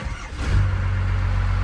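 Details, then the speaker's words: Rebuilt Cummins-swapped truck after completed rebuild: short crank, catches quickly and settles into smooth even low diesel rumble; healthy start and idle. "oh she sounds beautiful isn't that right murf"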